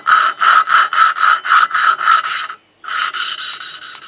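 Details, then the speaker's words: Briggs & Stratton 15.5 HP Intek OHV engine from a Husqvarna YTH150 mower that won't start: rhythmic gritty rasping strokes, nearly four a second, as coarse compound laps a valve onto its seat; the grinding changes as lapping progresses. "on a bien entendu la différence de bruit je décale d'un quart environ des cales il ya plus de gros bruit"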